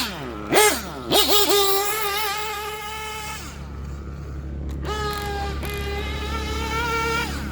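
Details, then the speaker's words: Warm Gimar P5 nitro engine in a Hyper 7 buggy, broken in, initial tune, fresh fuel, on track: a high-revving buzz winds out cleanly on the straights with plenty of smoke and no lean bog. Normal, rich-side running. "you can see I hear it towards the end it's winding out pretty good already"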